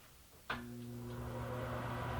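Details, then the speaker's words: Bathroom exhaust fan after replacing its motor with a Broan/NuTone BP27: the fan starts cleanly and settles into a steady, even low hum with no rattle or grinding. Normal fan operation. "oh sounds like we are good to go"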